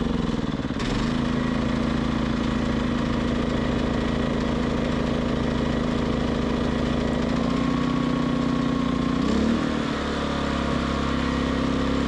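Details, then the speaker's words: Westinghouse iGen 2500 generator: steady mid-pitched drone wavers and dips as speed hunts; idle surging. "this thing doesn't like to idle it it does idle but it surges let you listen to it"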